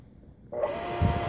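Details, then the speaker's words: Repaired 1/2 hp water pump with replaced burnt coil (Truper coil, mixed brands), tested dry before painting; starts and settles into clean steady hum, no grinding or rattle; runs free and smooth, normal. "vamos a encenderla para que todo el sonido como tiene ella libro un sonido libre y bien suave"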